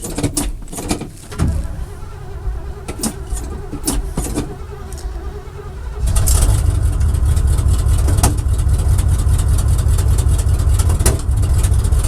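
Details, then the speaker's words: Barn-find square-body truck with a 350 Oldsmobile Rocket V8, cold start after pumping the throttle. Scattered clicks, then it fires into an uneven, lumpy idle with an irregular beat. Rough running, cause unclear. "Oy vey, did you hear that? That does not sound good."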